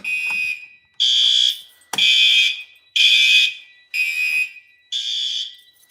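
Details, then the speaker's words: A fire alarm system is activated on a countdown, with relays clicking inside the panel: a shrill alarm horn pulses about once a second in a steady pattern, and any relay clicks are buried under it. Normal activation. "Can hear those relays clicking in there. It's pretty cool."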